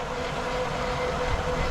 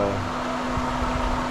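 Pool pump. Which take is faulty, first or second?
first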